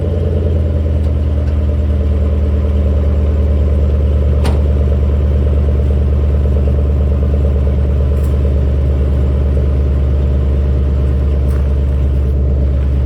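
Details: Squarebody truck with stock 5.3 V8 swap, stock manifolds, 2.5" pipe, Flowmaster Super 10 mufflers, turn-downs before axle; deep steady slightly lumpy burble settling after a cold start, sounds healthy: normal cold start.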